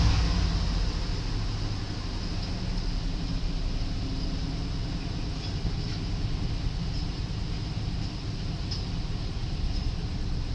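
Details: 1993 Buick Roadmaster 5.7 V8, 100,302 miles, engine test: a deep, steady rumble with an even beat and no knocks, ticks or misses; the engine sounds good and healthy.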